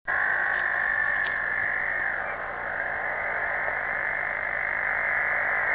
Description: Can someone give a description of this weird noise on 27.572 till 27.590 ? This phenomena is really strange. It changes frequency constantly over the band.